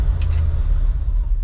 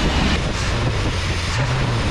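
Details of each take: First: 1988 Chevy C30 square-body wrecker with throttle body injection; it catches and then sags and dies within seconds on startup but runs fine once going, and the owner suspects low fuel pressure or a dirty or stuck regulator in the throttle body. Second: 1988 Chevy C30 wrecker after a throttle body rebuild, cleaning, new line O-rings and a new belt; it catches and settles into a steady, even low rumble that eases slightly at the end, running smoothly, normal run after repair.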